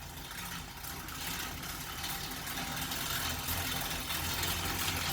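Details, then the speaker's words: Newly assembled Assault AirBike Classic while pedalling: steady fan rush with a loose, uneven rattle about three times a second per pedal turn, growing very loud with speed. Chain looks fine; tension and fan cage adjustments didn't help; one rear-left bolt is stripped. Cause unconfirmed. "so yeah it seems to be making uh a rattling noise"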